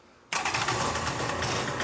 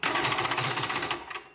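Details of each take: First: Polaris SL 750 jet ski, two-stroke, after new cylinder fitted: engine catches at once and holds a steady, even idle with no misses or knocks; starts and runs properly every time, healthy running. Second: Polaris SL 750 jet ski, rebuilt with new cylinder: quick, even starter chatter for about a second with no firing, then it stops; won't start because the kill-switch safety lanyard was left off.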